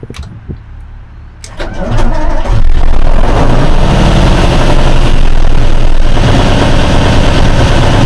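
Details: 1976 Tatra 813 V12 diesel truck, restored after about 20 years without running and refreshed with new hoses, seals, oils and filters: the starter cranks briefly, then it settles into a deep, even idle with no misses or knocks; normal start.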